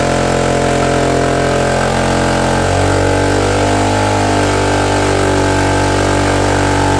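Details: Suzuki DR-Z125 dirt bike after rebuild of a blown engine, started with fuel poured down the airbox: loud single-cylinder running fast and raspy, revs jumping and holding high; idle super high and an exhaust leak.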